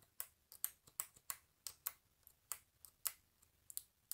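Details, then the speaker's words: Corsair K95 RGB Platinum keyboard: mute button clicks sharply on its plastic housing at irregular intervals, in a quiet room; defective build, besides the volume wheel clicking when scrolled upward. "I have also noticed that the mute button also clicks on the plastic from time to time"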